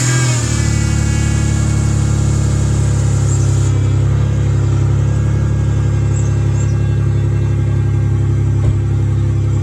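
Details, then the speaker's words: Loud, deep idle with an uneven puffing rasp from a substantial exhaust leak just behind the catalytic converter; no check engine light yet, heat felt from both sides as the exhaust warms. "a pretty substantial exhaust leak just behind the catalytic converter now it's not that supposed to check engine light yet"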